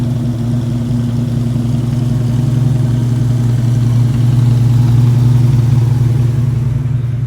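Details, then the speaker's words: 1977 Chevy C10 with a 400 HP V8, heard outside the truck before new headers and dual exhaust go on, running a little rich: once warm it holds a steady, fast, even rumble with no hunting, idling too high; needs more tuning. "Alright, so once it gets warm, we have a high idle to deal with. So, a little more tuning on this thing."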